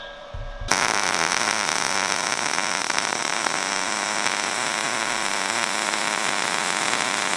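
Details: New Sherman DigiMig 215 DualPulse, second standard MIG pass on 2 mm steel plate, 0.8 mm wire: steady, even frying-bacon crackle running uninterrupted for several seconds; normal short-circuit MIG arc.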